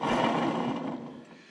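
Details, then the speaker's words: 1974 Jeep CJ-5 front wheel bearing, hand-spun with jam nut loosened: short gritty, rasping rumble fading as the wheel slows; worn bearing showing metal fatigue and crazing, near failure. "that is pretty close to losing a baron on the road you know"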